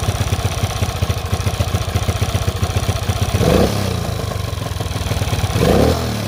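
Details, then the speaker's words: Honda CT200 (1964–67, iron-head pushrod single) first start after sitting, fresh gas, cleaned plug: quick slightly uneven thumping with two throttle blips, wants to die; wet plug, hard restarting, carburetor suspected. "i did notice that it didn't want to stay running for long in fact the the spark plug was very wet after i wrote it down the street and it wouldn't start very easily after that"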